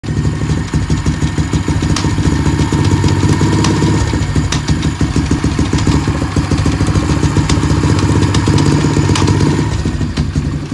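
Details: Apollo small single-cylinder bike idling and lightly revving with sharp, irregular clicks at the drive sprocket, which tries to move on most clicks; chain sometimes locks up when riding; cause unknown.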